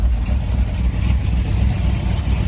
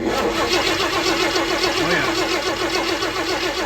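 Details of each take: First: 1965 Ford F100 body on 1974 highboy chassis, supposedly crate 390 V8, automatic, just after carb swap, warming up: deep lumpy note surging and dipping unevenly before shutoff; rough running, carb rebuild planned. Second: 1965 Ford F100 body on 1974 Highboy chassis, said to have a new crate 390 V8 with automatic transmission, fuel not yet hooked up; starter turns it at an even rhythm of about 3.5 beats a second, no knocks or scraping: healthy cranking while testing for spark.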